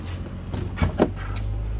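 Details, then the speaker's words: Gen 5 Dodge Viper door after greasing the door stopper to fix its notorious squeak: the door swings through its stops with only soft thuds and clicks, no squeak, over a low engine hum. "so i'll try there and you're gonna see how it won't make a single sound"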